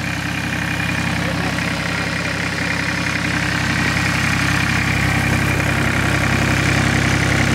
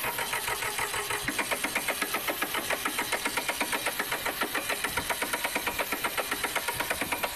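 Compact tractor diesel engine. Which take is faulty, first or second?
second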